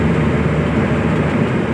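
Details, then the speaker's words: Maruti Omni rear differential (crown) after a crown bearing replacement, driving on the road: steady road and wind noise with no whine or howl, where before it was very loud; quiet and healthy. "और आप देखो यह देखो इतनी प्यारी चल रही है गाड़ी और यह देखिए कोई आवाज नहीं बिल्कुल भी"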